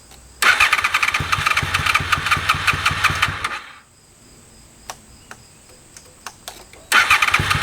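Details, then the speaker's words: 2001 Honda VFR Interceptor (Gen 5), stored in a barn for almost a decade, battery at 11.18 V: fast steady cranking that changes tempo when the throttle is worked, with a pause, but it never catches; cranks, no start. "all right so it cranks and it changes Tempo when I uh work the throttle while cranking it so I think those are good signs"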